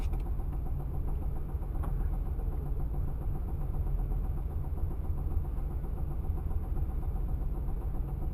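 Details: V8 TransAm with an earlier ticking noise that turned into banging: a broken rocker let the pushrod bang on the rocker cover; rough idle with steady, uneven top-end knocking.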